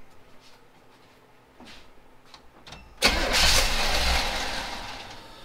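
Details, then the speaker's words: 1977 Chevy C10 on first start after swapping its Quadrajet carburetor for a FiTech EFI: cranks and catches at once, then the idle swells and sags gently while the EFI self-learns; normal first-start behaviour before the idle screw is adjusted. "So you can hear the idle going up and down a little bit because it's doing a little bit of a learn."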